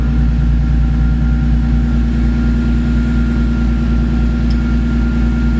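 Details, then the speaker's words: Car with newly installed Horsepower Freaks turbo kit, super-cold start in a cold shop, took a few extra cranks: rpm rock solid, steady smooth hum with no misses or knocks, revs up; healthy cold idle. "You can see the RPM is rock solid. You can rev it up. This car is really freaking cold though."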